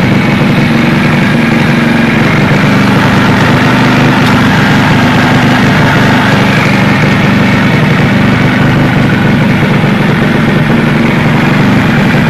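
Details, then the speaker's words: Takegawa Plus-R 4SM 59mm small four-stroke motorcycle engine build: loud, steady engine note held high with an even beat, no knocks or rattles; engine sounds very healthy, normal running. "Κάτσε να ακούσουμε και τον ήχο του, να το επιβεβαιώσουμε. Το μοτέρ του ακούγεται υγιέστατο."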